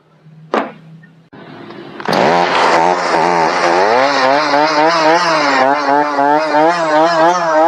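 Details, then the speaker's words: Chainsaw before switching to Cerma products bogs down quite a bit under throttle; revs catch but pitch sags and wavers instead of holding clean. Saw then cleaned and changed to Cerma oil. "or as you can hear it didn't do real good bogged down quite a bit actually"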